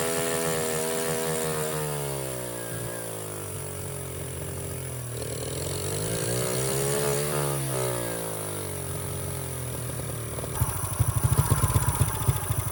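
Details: 49cc mini bike that sat since bought at auction: after a carburetor rebuild it buzzes at a raised idle that drifts up and down and never settles, even with the throttle screw fully unscrewed. Owner suspects it has to do with how much air it takes in; cause unconfirmed.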